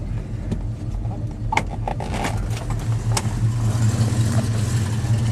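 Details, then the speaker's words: 1970 Ford Mustang Fastback, 302 V8, automatic, with headers and dual exhaust: deep even burbling, lopey rumble swelling slightly when blipped; sounds real good, normal V8 exhaust note. "got a nice sounding uh dual exhaust system with the headers you can hear it sound sounds real good"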